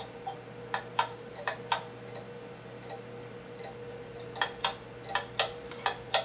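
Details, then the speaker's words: Pendulum clock movement during beat adjustment by bending the crutch: tick and tock about eighty a minute but unevenly spaced, a limping rhythm; clock out of beat. "by twisting the screwdriver one way or the other I can bend the crutch in order to adjust the beat now let's listen to that bead again"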